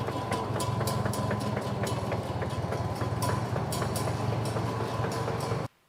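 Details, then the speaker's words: 1949 Farmall M 38 hp tractor, running: loud, very consistent sharp ticks about three or four a second over the engine beat; chipped, missing transmission gear tooth. "that's one heck of a tick going on the good news is it's pretty darn consistent and it's pretty darn loud so I think we should be able to figure out where it's coming from"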